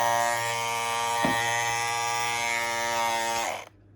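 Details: Andis Masters cordless clipper after a temporary fix: steady even buzz with a clean pitch, no rattle or chatter, then winds down when switched off; running normally.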